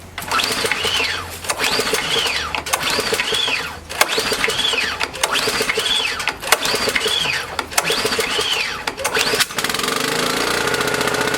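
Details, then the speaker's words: Small engine in a fuel-additive test, sitting 13–14 months on 87-octane fuel, switch on and choke out: about eight recoil pulls with the cord rasping before it catches and runs steady and even. "what was that noise took about uh eight pulls on that one too"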